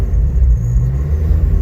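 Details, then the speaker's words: Cold-start idle on a 1997 Honda Civic EJ8 with a built LSVTEC turbo engine on E85. A K-Tuned IACV relocation kit is remote-mounted because the Ultra Race manifold has no provision for one. Deep, lumpy, surging rumble as the idle hunts while cold; the car needs a retune. "yeah she's gonna do this for a little while until she warms up which unfortunately he's gonna take a while so I'll cut back in when that happens"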